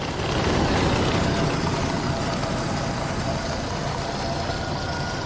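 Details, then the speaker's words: Jeep Comanche first run after 10 years sitting, new fuel pump installed: uneven labouring idle that hunts and sags like it will stall, owner blames very bad old gas; valve cover leaking; rough idle. "oh all right so it runs it freaking runs oh it sounds like he's gonna die it's really bad gas that's in there like really really bad gas"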